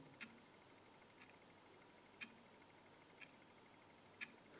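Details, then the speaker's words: Lavet stepper motor from an electromechanical quartz alarm clock, scope on its coil, 1 Hz pulses turning the rotor 180 degrees each: crisp, faint ticks exactly once a second in a quiet room; normal stepping. "we can hear the motor spinning while we look at the signal the setup on the scope is currently so that it's synchronized with the with the pulse"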